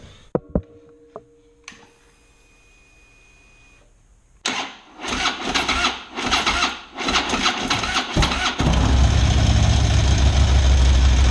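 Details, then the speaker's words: Harley big V-twin just after fitting a $10 part to cure top-end tick: a few clicks, then it cranks, catches and settles into a steady idle, with the ticking significantly reduced. "oh yeah it is much quieter in person the ticking has gone down significantly"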